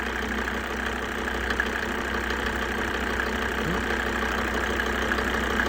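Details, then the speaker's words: Mercedes OM605 diesel, warm day around +17–20°C: steady idle that starts clattering and knocking intermittently about 2–3 minutes after start, once the glow plugs switch off; no misfire. Cause unknown, not resolved. "Сейчас пройдёт вот эти 2-3 минуты, он начнёт клокотапать. Ну, услышите, прямо не очень комфортно и приятная. Ещё 2 минуты. Но всё равно вот есть моментами он клокочит и простукивает."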